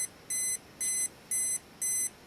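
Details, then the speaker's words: Olympus XA2 35mm compact camera self-timer with flash off: regular high-pitched beeps about twice a second, pitch rising slightly just before the shutter fires; normal countdown. "and the pitch will go up a little bit just before it's about to go off."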